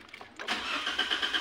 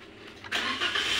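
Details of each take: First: Toyota Avanza 2015 1NR petrol engine, hard starting with DTCs P0335/P0113/P1604: starter cranks in a steady pulse about eight beats a second before the engine finally fires; cause a leaking fuel pump O-ring losing fuel-rail pressure. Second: 2015 Toyota Avanza 1NR petrol, previously hard to start with DTCs P0355/P0113/P1604; the cause was a leaking fuel pump O-ring that let fuel drain from the rail. The engine now catches almost at once and runs steadily: normal quick start.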